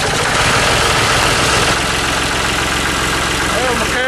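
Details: Diesel tractor boosted with a Black & Decker jump starter on a cold morning of about 32°F: loud, rough but steady diesel clatter at idle, about four firing beats a second, no stalling; healthy idle after starting.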